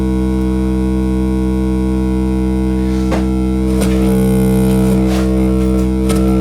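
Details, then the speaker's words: Brand-new class D amplifier module, defective out of the box, not running hot, fed a 10 kHz test tone: steady tone with a rough, pulsing warble as switching noise beats against the signal. Nasty distortion; unit is faulty. "I know many guys can hear the beating but it's pretty ugly the beating sound between the the 10 kilohertz signal coming"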